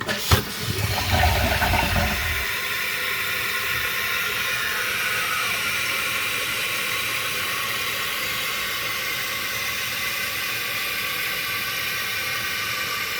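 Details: Costco Water Ridge C22148C one-piece toilet test-flushed after the fill-valve seal/gasket was replaced: a strong rushing flush for about two seconds settles into a steady hissing refill with no gurgle or trickle. The toilet flushes normally.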